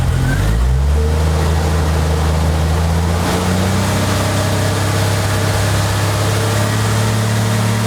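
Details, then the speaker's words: Jeep Wrangler 4.0L under acceleration, before a crankshaft position sensor replacement: the engine note climbs, then briefly sags and stumbles with a tach drop before pulling again. Hesitation; the crank sensor is suspected. "When you saw the RPMs just drop a little bit right there, that's the hesitation I'm getting. Cuts out just for a minute."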